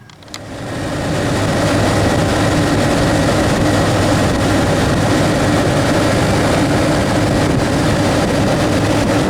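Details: 1992 Chevy Astro van extended, 4.3L V6, 189,853 miles, just started after idler pulley replacement: steady, even idle while warming up, no knocks or squeals; runs fine though owner says it sounds a little odd.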